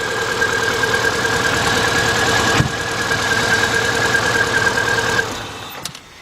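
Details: 2000 Subaru Impreza Outback 2.2 petrol, warm, with new plugs, wires and coil, owner suspects a burnt valve: uneven, stumbling idle with a steady misfire; rough idle.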